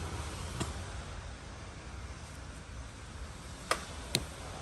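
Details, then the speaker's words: Car audio with Sound Digital Evox amps that stayed on, fixed by wiring a relay on the remote turn-on; phone held close as ignition is cycled off: sharp, isolated clicks as the relay snaps off cleanly, forcing amps to shut off. "Relay just clicked off. This will force the amplifiers to turn off every single time."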